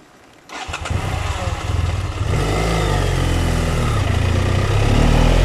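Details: BMW F700GS idle unstable and stalling when clutch pulled, especially when hot: fires up and idles unevenly, revs wandering up and down; caused by faulty throttle position sensor, replaced and fixed.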